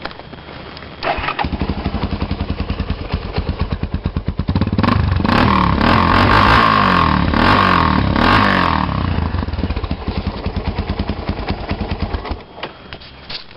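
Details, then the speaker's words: Raptor 350 ATV single-cylinder with HMF Performance Series slip-on, after installing the HMF quiet core with three 5 mm Allen bolts: lumpy idle, revved and held, then drops back; subdued, muffled exhaust, engine running cleanly. "Alright, now that you have your bolts installed with the quiet core, I'll start it up and show you what it sounds like with the quiet core in it."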